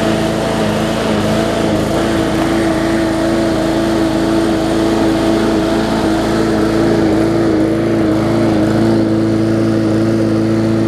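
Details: Bolens push mower with a Briggs & Stratton engine (classic or newer OHV), restarted after refitting the air filter following no-start repair. Steady, even drone at constant pitch with no misses or knocks; engine runs cleanly.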